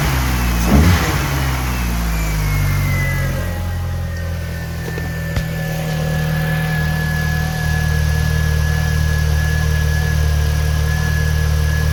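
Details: 2000 VW Golf Mk4 GTI 1.8T AGU after the failed ignition amplifier was replaced and its cooling plate refitted: it starts, flares briefly, then settles into a smooth, even idle with no stumble or miss; runs healthy.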